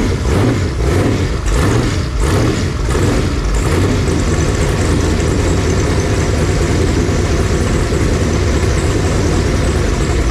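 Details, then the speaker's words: 496 big-block Chevy on a run stand during break-in, warmed to about 170°F after 15 minutes with 160° thermostat, oil pressure 55–70 psi: deep, even rumble at steady idle, no knocks or misses; motor sounds healthy, leaks fixed. "so I think we're finally in we're running we're doing right um motor sounds really good and healthy"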